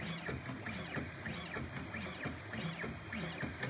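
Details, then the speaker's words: Prusa Bear printer upgraded to dual Y steppers, run toward 500 mm/s: repeating rising-falling stepper whine each pass, top pitch never climbing; speed seems capped, owner suspects acceleration limit. "i don't hear the pitch changing so i don't think maybe it's the limit that it can go with that acceleration"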